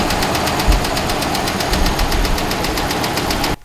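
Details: Ram HEMI 5.7 V8 with what the owner calls the HEMI tick: fast, even light ticking rides over the running engine at steady speed. A top-end tick, cause not pinned down.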